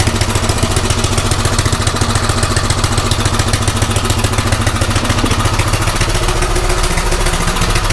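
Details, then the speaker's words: Craftsman rototiller small single-cylinder engine running on a new carburetor after a tune-up: drilled out one size, idle screw turned in about 1.5–1.75 turns, mixture then backed out a half turn; fast, fairly even chugging with some clatter, running much better. "so you know what i think i'm pretty happy with that so yeah it's running a whole lot better"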